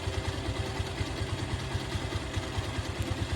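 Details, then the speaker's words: Bajaj Pulsar motorcycle just after a full engine fitting: an even, steady single-cylinder idle with a regular soft beat and no knocks or rattles. It sounds very good; the idle RPM will be adjusted as needed and the clutch is slightly tight. "देखिए कितना sound मस्त आया है। Sound वगैरह सब बहुत अच्छा आया है।"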